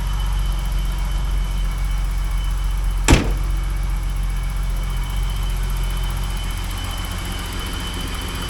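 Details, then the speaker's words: 1985 BMW 635 CSI with intermittent no-start/running problem, first start after ground wire work: steady, even low idle in neutral with a faint high whistle and one brief click; sounds pretty good, ground wires seem to have helped. "And I'll check the oil in it. Sounds pretty good. I think all those ground wire things helped it out everywhere."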